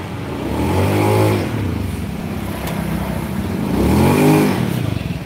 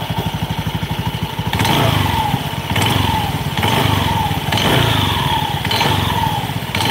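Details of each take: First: Honda Beat scooter after repair of clatter and squeal under throttle: revs up and settles twice, smooth and even, power good, no squeal or clatter; healthy running. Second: Honda Beat scooter, throttle blips: loose clattering rattle and falling belt squeal on each rev; drivetrain noise, cause not yet pinned down.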